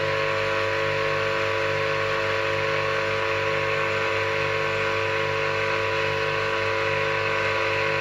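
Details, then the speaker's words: Old Soviet 380 V electric motor, bearings freshly greased, running unloaded in delta connection after a capacitor start, with a steady harsh hum, strong low buzz and hiss; star connection runs softer and cooler. "Слушайте звук двигателя. Вот это работа на треугольнике."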